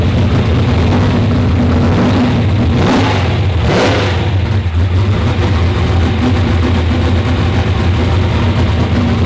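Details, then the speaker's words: V8, not run for a few weeks, started before dyno: deep, even note with two quick clean blips, no stumble or misfire; sounds like a different motor, earlier hiccup gone. "that thing sounds like a completely different motor"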